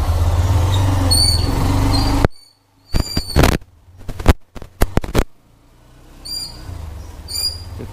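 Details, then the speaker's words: Hero Xtreme 125R riding: short high-pitched squeaks from the rear brake every time it is applied, louder the harder it is pressed. "একটু মনোযোগ দিয়ে বাইকের পেছনের disk থেকে যে sound আসে মানে পেছনের ড্রাম থেকে সেই সাউন্ডটা একটু শুনুন তাহলেই বুঝতে পারবেন।"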